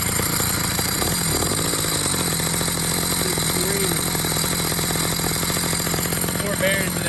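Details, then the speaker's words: Motorized bicycle two-stroke engine with wet clutch conversion, running with the clutch cover off and before fluid is added: buzzy, fast with a harsh metallic rattle; loud clutch noise, cover to be fitted to dampen it. "Alright, so we're going to go ahead and put the cover on it and see how much that helps the dampening noise"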